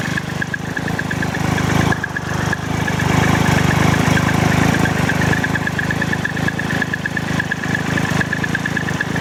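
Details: 2012 Triumph Tiger Explorer at idle: uneven idle with a light, irregular metallic rattle on the engine beat and a faint high tick; cause not found, dealer to check.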